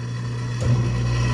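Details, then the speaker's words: Used hot tub showing PR (prime) at power-up, jets switched on with no water in the tub: the electric pump motor gives a steady low hum that rises as it comes up to speed, even and smooth; normal motor running. "so let's just go ahead and let's hit the Jets even though there's no water in it what can it hurt well I can hear the electric motor"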